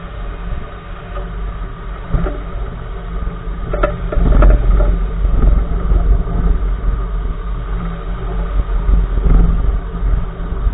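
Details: Uneven dull low thumps, a couple per second over bumps, through a rumbling drive: clunking from the right front wheel of a 2014 Nissan March while driving; owner asks which part is causing it, source unknown.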